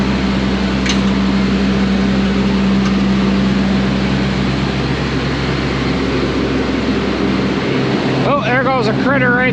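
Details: Combine engine running normally after being dry on fuel and needing a few cranks: steady low diesel drone with an even beat, no misses or stumbles.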